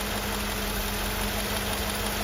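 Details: Mercedes W126/W124/W201 engine after replacing and adjusting the AMF (air mass flow flap) potentiometer to cure erratic, hunting idle: smooth, even idle with a constant low hum and no hunting or surging.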